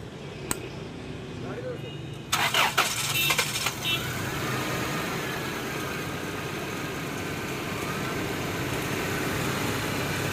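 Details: Toyota 4Runner engine cranks and catches, then settles into an uneven idle with an irregular stumble in the beat, a constant misfire; airflow meter (MAF sensor) suspected, not confirmed.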